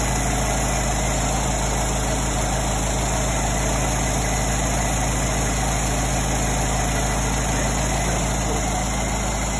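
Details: 1924 Ford Model T first start after 22+ years, powertrain reinstalled during restoration: slow, even low chugging four-cylinder idle with steady beat, no knocking or misses; normal idle.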